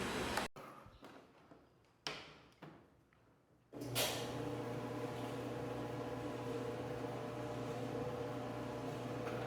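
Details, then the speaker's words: Mabe washer-dryer combo after the dryer drum was removed and reassembled to cure a noise: a steady, even motor hum as the drum spins, with no friction, scraping or squealing, between a few clunks. Repair fixed. "Como pueden escuchar, ya no hay fricción cuando gira nuestra tina de secado."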